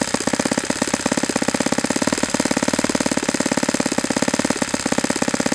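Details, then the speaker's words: Saito FA-91S model four-stroke glow engine on a test stand: rapid, even popping around sixteen beats a second holding steady; smooth, stable low idle, possibly a hair rich. "I'd be pretty happy with this. It might be a hair rich, but I'm not going to complain about an idle like this."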